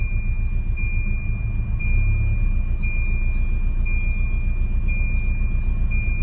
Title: Rough idle